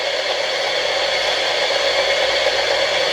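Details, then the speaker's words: Sony ICF-2001D radio under repair, needing an unobtainable 6.275MHz crystal: after it is flicked, only a flat, steady hiss with no station or tone. The receiver has drifted off frequency. "Now if we flick this again, you can hear it's gone off frequency. Probe this again, I've actually got nothing"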